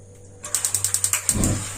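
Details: Gas water heater after cleaning a sticking membrane: about eight sharp igniter ticks around ten per second, then soft whoosh as burner lights; sparking and catching normally.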